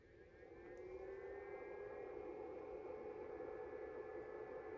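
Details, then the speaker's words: New Eco-Worthy lithium charger, charge limited at 5 A, switched to 10 A mode yet delivering 2.7 A: a soft, steady cooling-fan whir with no rattle or grinding, quieter than the previous charger's fan, healthy. "on entend le ventilo qui tourne. Et pourtant ça tourne qu'à 2,7 ampères. Mais le ventilo il est moins bruyant. Il est moins bruyant que l'autre."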